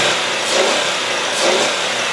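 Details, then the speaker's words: 2002 Ford Taurus SES, 3.0 L V6: two quick, smooth revs rising and falling cleanly, with only a faint belt chirp after belt dressing was applied; engine runs well, normal revving. "but this this car does run really really well let me rev her up for you"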